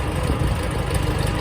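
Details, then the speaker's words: 1954 Farmall Super C tractor after eBay 6-volt starter replacement and new battery, started on choke: steady, low, even chugging with no misses or knocks; normal idle. "But it starts nice. That makes me pretty happy."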